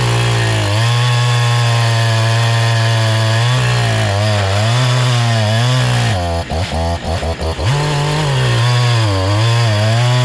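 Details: Brand new NEO-TEC NH872 71cc chainsaw (Husqvarna 372 XP clone), 28 in bar, first firewood cut on big log: full-throttle scream sags and wobbles each bite, bogging, very slow; owner suspects top-end carburetor adjustment needs tuning.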